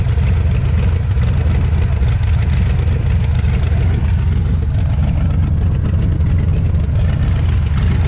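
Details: 1977 Pontiac Firebird V8, revived after about 36 years sitting, oil looks good: deep, steady low rumble with even beat, no knocks or stumbles; normal clean idle.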